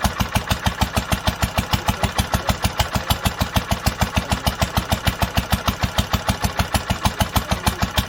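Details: 1946 International Harvester LBB 3-5 hp water-cooled engine, first cold start after long storage under cover, started on the next pull after being choked twice; crisp evenly spaced firing about two per second, no misses or rattles: normal clean running.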